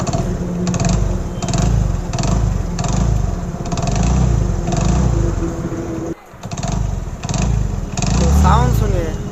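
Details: Hero Passion Pro single-cylinder motorcycle with weak pickup, oil added into the cylinder: a sharp tak-tak tick rides over each exhaust beat as it revs; a blowing head gasket with a loose head nut.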